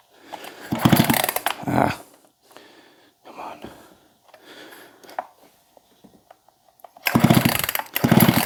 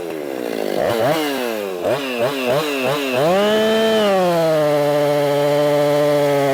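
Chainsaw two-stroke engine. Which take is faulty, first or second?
first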